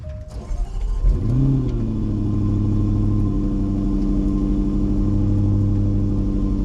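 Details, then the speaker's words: Supercharged Range Rover LWB V8 started after new fuel injectors were fitted and penetrating oil was used on stuck injectors: catches after a short crank, flares, then settles to a steady, even idle; running better, normal idle. "I mean to be honest the car sounds like it's running better like it sounds like it's running a lot better"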